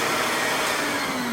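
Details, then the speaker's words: Router table router switched on at its lowest speed setting: high motor whine starting at the highest speed, pitch easing downward as it settles to low speed; normal electronic speed control ramp-down. "When you do torque down the speed, it ramps up. So it'll start at the highest speed, and then you can hear it go down."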